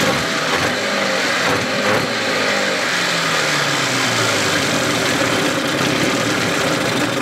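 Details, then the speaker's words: 1981 Evinrude 15 HP outboard running in water with the cover off; steady, even note with no whine or knock, powerhead healthy, the earlier whine traced to the lower unit. "sounds good I got my sucker off so you can hear the engine no whining so the winding was in the lower unit motor sounds good real good power heads"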